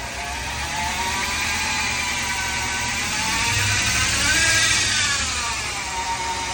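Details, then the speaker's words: 2013 Ram 1500 rear axle, run at idle with cover and axle shafts removed; steady hum rising and falling with speed, complaint was a helicopter grinding noise from 10 mph growing with speed; pinion bearing suspected, not confirmed. "This thing was uh suffering from a helicopter grinding noise while driving. start at 10 mph and continue to increase in noise and frequency uh as speed increased in the vehicle."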